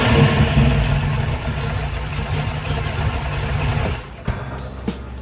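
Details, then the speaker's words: Brief first start of a freshly built 408 cubic inch stroker V8 with hydraulic roller cam, before the radiator is fitted: catches at once, settles into a deep steady lumpy idle, then shuts down; healthy fresh engine. "Best fire up ever. I know. Perfect. Everything went like clockwork."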